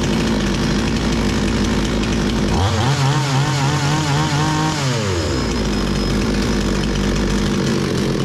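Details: Bolat 5820 chainsaw that had been stalling, after the air filter was cleaned and the stop switch fixed: it idles evenly, revs cleanly for about two seconds without bogging, then returns to a steady idle. It runs normally.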